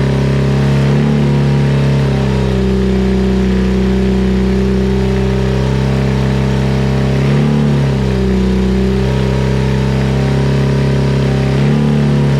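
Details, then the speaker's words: BMW R100 airhead twin first start after nearly 12-month full rebuild (new crank, rods, rings, head refresh), freshly filled Bing carb bowls, some smoke from burning-in; smooth steady twin drone, even firing, clean rev blips, no knocks; normal running. "i know it fires all the electrics are fine i'm bloody stoked"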